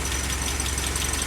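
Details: Willys Jeep four-cylinder after nearly 15 years unused, first-try start on fuel fed only to the carburettor bowl, so runs briefly: soft, even idle pulse, no knocking; healthy idle.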